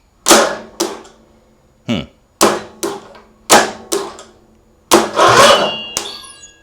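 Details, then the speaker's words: Small engine cranked with the spark plug in but the plug wire off. Sharp, irregular metallic clacks, about a dozen over seven seconds, with no steady cranking rhythm. Strange clanking while cranking, cause unclear. "What is that strange sound? What is going on? So, I just took the plug out again just as as a because I don't I don't understand why it turns over and air is blowing out of the plug hole."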